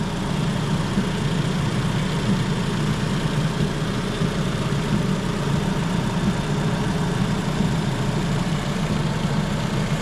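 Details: 2016 Toyota Camry with a no-crank complaint, now running: a steady, even idle with a smooth low hum and no knocks or dips, holding speed with lights, high beams and air conditioning on to test the alternator, which keeps up.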